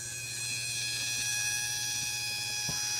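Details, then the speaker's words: Jeep fuel system bench test of a universal high-pressure out-of-tank pump, running with no regulator and an unrestricted line: a steady, constant-pitch electric whine with a low hum and no bubbles in the fuel line. Normal fuel pump whine. "let's fire that up we'll look at this fuel line here a little wine there no bubbles whatsoever"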